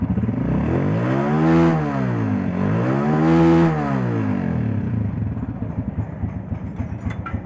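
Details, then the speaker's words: Honda 125 motorcycle with cam noise complaint, after engine repair: two clean throttle blips then steady even idle pulse about four per second, quiet and healthy; much better than the previous noisy condition. "हां वालो बताओ गाड़ी का sound सुनके कैसा लगा आपको यार साउंड तो पहले से बहुत अच्छा हो गया इसका"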